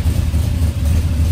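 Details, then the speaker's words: Turbo LS engine, starting with both fuel pumps now PCM-controlled through relays: deep, even rumble with steady firing and no misses or stumbles; starts and runs cleanly. "sweet it works all right that is it for the fuel system it works"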